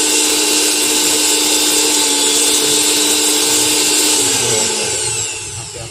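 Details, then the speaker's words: Bajaj mixer grinder after a motor replacement and 3-speed wiring, tested on direct line after a series-bulb check: smooth, steady high whine through speeds 1 to 3, no scraping or rattle, dropping off as it is switched off. "तो यहाँ पे आप देखोगे कि हमारी motor जो है अब स्पीड 1 में है, अब ये स्पीड 2 में है, अब ये स्पीड 3 में है।"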